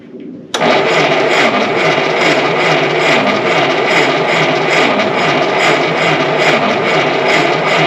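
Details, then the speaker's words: 1952 Willys pickup, off the road since 1991, slow six-volt starter, new fuel line: slow, even cranking about 2.5 turns per second with no catch or firing; won't start, compression readings conflicting. "let's pull those spark plugs let's check compression it works good that's got good compression i don't know why this thing doesn't run"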